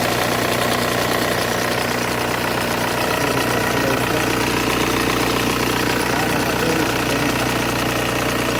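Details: Volkswagen Golf 1.9 TDI diesel at idle: an even rattle of about two or three knocks a second, produced by the power steering pump, whose shaft has excessive play.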